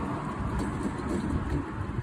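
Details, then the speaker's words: 2004 Toyota Tacoma, rear raised on stands with the wheel spinning freely: steady low growling rumble with no knocks from a rear wheel, fitting a damaged rear wheel bearing. "este es el resultado de un balero dañado cuando vas en la carretera como si fuese una pelota que le hace pero aquí se los compruebo eso fue lo que hice yo la otra vez ya escuchen cómo le hace"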